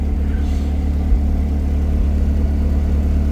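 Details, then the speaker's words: Nissan R34 Skyline with Beams turbo engine on E85, idling after fuel system reassembly, lambda near 1: deep steady even rumble, no knocks or whine; normal idle, though owner suspects turbo failing at high revs. "But yeah, it's it's running. Sounds good. All right, cool. So, I let it idle for a while. Everything's still running fine."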